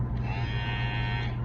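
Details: Wmark 222 hair clipper, previously very noisy from a worn, loose rail/track part, just reassembled with the part refitted, before oiling. Steady, even electric buzz with constant pitch, no rattle or grinding. Running smoothly.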